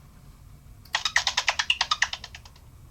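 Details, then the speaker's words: Qolsys IQ Panel 2 alarm panel with tamper cover left open, panel not seated on its back cover: quick warbling burst of chirpy clicks, a tamper trouble reminder that repeats every half hour until the cover is secured. "And just to show you, this is an example of what the Qolsys IQ Panel 2 will sound like if you leave the tamper cover open."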